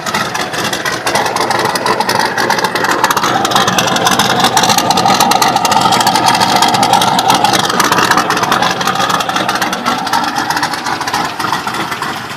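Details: Turbo LS1-swapped Datsun 260Z (S30), after fixing a bad head gasket: rapid, uneven light ticking over a steady idle; owner suspects a bad lifter or piston slap, unconfirmed.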